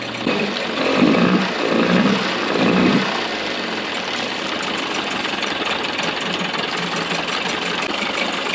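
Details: Early-90s 8 hp Mercury two-stroke outboard after carb rebuild and maintenance, mixture screw about 1¼–1½ turns out: a few throttle blips, then steady, even idle with no misses or stumbles; normal idle.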